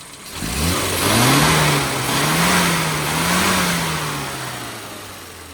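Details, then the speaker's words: Mini 1275GT after tuning (modified AAC needle, new red spring, hybrid damper, BP5 plugs gapped 25 thou, original distributor): smooth blips with no misses, coughs or stumbles; owner reports clean power, totally opposite to earlier. "Runs smoothly. No coughing, spluttering, clean power all the way. Consistent. No problems at all."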